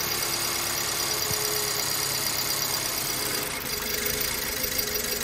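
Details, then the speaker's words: 2008 BMW E90 318, idle before repair, misfiring in several cylinders, coils and plugs fairly new; lumpy uneven idle with irregular stumbles under clattery top end, very rough: misfire traced to one faulty fuel injector. "well now you can see so that's running very rough"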